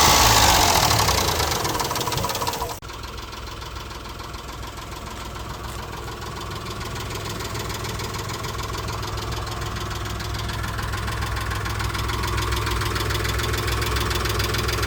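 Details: Mitsubishi Montero idling: steady, regular tick or light slap about three to four beats a second; owner suspects a stuck valve lifter or piston slap, unconfirmed.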